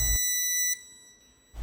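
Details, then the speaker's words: School auditorium ceiling emergency light: thin, high-pitched repeating electronic beep from its power supply, with several units on the roof beeping; electrician says any such beep means the power pack has failed and must be replaced. "它为什么会响呢？据我的了解，像这种只要是一响，就是电源块坏了，不行了，得换了。"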